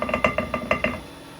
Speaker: you can hear it knocking, which means it's still out of round.